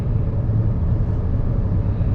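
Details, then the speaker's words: 2014 Chevy Cruze 1.4 turbo four-cylinder after the cylinder 4 ignition coil was reconnected: steady, even idle rumble with no misfire so far, though the engine is not yet warmed up; earlier misfires appeared in damp weather. "So theoretically now we should at least got rid of the misfire so this start it up started up okay so so far we haven't had no misfires but we haven't really got warmed up"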